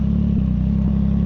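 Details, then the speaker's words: CFMOTO 675SS with a Team MSC ECU tune and full exhaust system, after a ride: a slow, lumpy idle with evenly spaced low pulses, holding a really low idle; the rider is unsure if that's normal; not running hot. "I don't know if it's normal, but it's holding a really low idle. It's not running hot."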